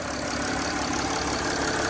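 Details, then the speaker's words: Mercedes ML320 diesel that sat about five months, started after a new battery and glow-plug cycle. It fired right up to a steady diesel idle with light, even clatter and no misses or surging; runs well. "let the glow plugs go and fire it up sweet fired right up so like I said it is a diesel"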